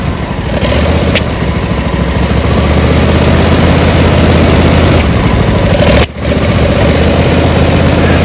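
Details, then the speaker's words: John Deere D140 mower, 22 hp Briggs & Stratton Intek: uneven idle that surges and sags, with sharp pops as it backfires through the carburetor. Carburetor, valves or intake gasket are suspected; a carburetor kit is planned. "today I got this d140 John Deere 22 horsepower motor and uh it hunts that idle backfires to the carburetor"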